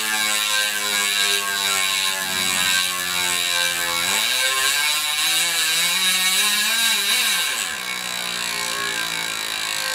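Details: Chris King ISO disc stainless rear hub, 150x12mm, with 9-speed Shimano XTR M970 cassette, freshly broken in after about 5 hours or 50 miles, freewheeling and back-pedaling: loud, even angry-bee buzz rising and falling with coasting speed; healthy freehub.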